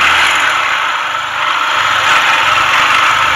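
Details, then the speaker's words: TVS Star City/Sport motorcycle engine with a weak, uncharged battery, kick-started before a full engine rebuild, also smoking: the single idles with a rough, uneven tapping under a hissy mechanical clatter, connecting rod knock inside the engine. "Smoke వస్తుంది, దాంతోపాటు engine లోపల connecting rod sound వస్తుంది అనమాట. మెయిన్గా connecting rod sound అయితే చాలా వస్తుంది."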